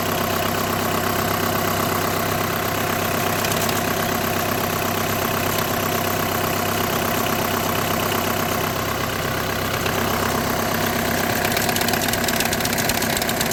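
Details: 2008–2014 VW with DSG gearbox at idle: a loose, irregular chatter at about three beats per second. This points to a vibrating dual-clutch plate or a worn plate bearing.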